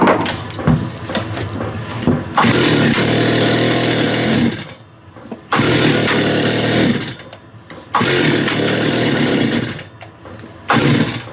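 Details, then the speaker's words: Stihl TS400 two-stroke after an ultrasonic carb clean, low-speed screw opened past three turns out: it catches, runs rough for a couple of seconds, then dies repeatedly as if starved of fuel. Engine stalling, cause unconfirmed. "like it's run out of fuel again something's not right there shouldn't need this many turns out"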